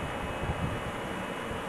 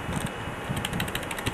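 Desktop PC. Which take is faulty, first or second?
second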